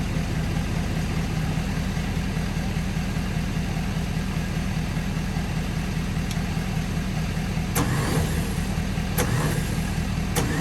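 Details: 1955 Chevy straight-six revived, fed from a five-gallon jug: low steady rumble with an even beat and no misses or knocks, running smoothly.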